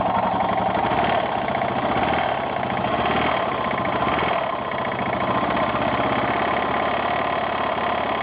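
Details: 1992 Yamaha XT600E (3TB) at idle: steady single-cylinder idle with a light repeating knocking or tapping under the exhaust beat; owner asks what causes the tick, source unclear.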